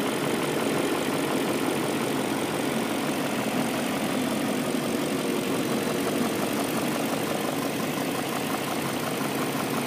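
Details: BMW M62B44TU V8 with stock exhaust, right after replacing the rattling timing chain tensioner with an INA aftermarket part: smooth, even idle with a steady hum and no chain rattle or slap; normal idle.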